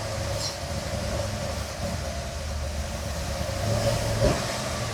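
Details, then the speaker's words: 1969 Chevrolet C-10 restomod V8 first fire-up after new wiring harness, hard to start, 45 psi oil pressure: rough uneven rumble with irregular popping that won't rev cleanly. "See, it's a little hard to start, but it's running. We got 45 lbs of oil pressure. There it goes. Popping. I'm going to rev it up a little bit. It don't really want to rev."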